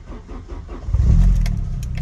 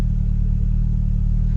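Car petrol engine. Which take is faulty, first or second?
first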